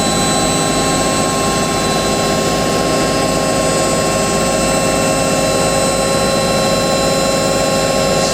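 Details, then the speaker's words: Hotpoint 9530 Electronic 1000 Plus washing machine, after repair (burnt neutral wire on mains lead replaced), spin with twin bedding load: steady high whir, even throughout, no thumping or knocking; balanced drum running smoothly, normal spin. "I'm amazed at how smooth that is. Right, here we go. I think that's what I'm going to make it down. Smooth that sounded, man. Wow. Still flying with one."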